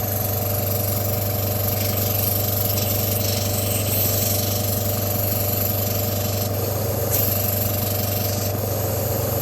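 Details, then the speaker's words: Non-running Stuart S50 mill model steam engine under inspection, run on compressed air: fast chuffing at about 2.5 beats a second over a constant hiss of escaping air; it barely runs. "What's happened is, the slide valve in there has come off the port face, so it won't run yet."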